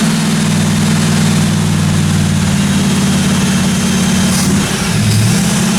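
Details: 1957 Chevy 210 project car, carbureted engine during roughly 20-minute cam break-in run: steady, deep, even drone with no ticking or knocking; valve train quiet, normal running.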